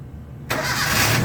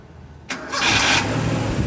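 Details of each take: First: Gasoline engine (Toyota) that was hard starting, after the starter motor and main cable were replaced and the body ground fixed: one short crank catches at once into a steady idle. The battery reads about 13 volts. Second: Toyota gasoline engine with new battery, 12.2 V standby, about 10 V cranking, intermittent hard starting; short sluggish crank then catches and idles smoothly; cause found as loose main starter cable (misplaced washer).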